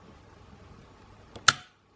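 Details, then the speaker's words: Relay switched by a 22 mm industrial switch, with a large capacitor across its coil, wired to a 220V single-phase to 380V three-phase VFD meant for a two-speed Dahlander motor, VFD stopped: faint tick, then one crisp click as the relay engages; normal relay click. "relay's active if we don't switch off you can hear the relay click out there's a little bit of time because it's got a fairly big capacitor set on it"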